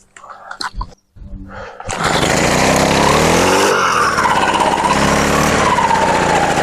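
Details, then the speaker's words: Brushcutter started after winter storage with fresh petrol: a couple of pulls, then catches, revs up and holds a steady even run; runs properly after adjusting carburetor needle as well as mixture screw. "Ану, заводиться. Так, значить, дивіться, тут конкретно довелося ще б підрегулювати голку карбюратора."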